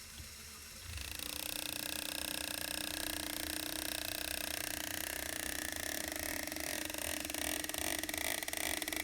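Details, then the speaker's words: Lego single U-joint demo with constant input speed at steering angle: fast plastic gear clatter with uneven pulsing, little change to 20°, audible at 40°, severe at high angles; U-joint speed fluctuation. "so right here about to about 20° not much difference 40° you can really start to hear it and then it goes crazy when you get to real high steering angles"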